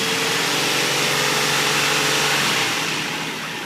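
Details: 2004 Infiniti I35 petrol V6 at idle with a steady knock of about three to four beats a second under a hissy top end; engine knocking at idle.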